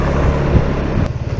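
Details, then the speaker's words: SYM Maxsym 400 scooter after long ride warming the final drive and variator, following reducer repair eliminating spline and gear play: short even low drone with no knocks or clunks; final drive runs smoothly and healthy. "я довольно-таки много проехал прогрел редуктор вариатор и никаких стуков нет"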